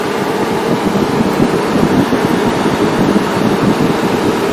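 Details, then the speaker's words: 2011 Chevrolet Aveo with overheating and P0599: the radiator fan, commanded on via relay 2, runs on high speed as a steady, even rush of air with no rattle. The low-speed circuit failed because of a bad dropping resistor. "radiator cooling fan relay 2 commands the cooling fan on and it runs it appears on high so i wonder if there's two speeds to this thing and one speed has failed"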